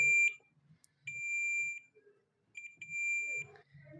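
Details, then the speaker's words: Suzuki GS150 self-starter armature continuity test with multimeter: steady high-pitched beeps on separate segment touches, each answering cleanly; no beep at a point would mean a winding fault, so windings intact. "अगर किसी की beep की आवाज़ नहीं आ रही किसी point पे तो उसके अंदर वाइंडिंग के में मसला है।"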